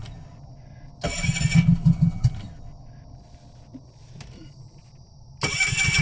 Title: it won't start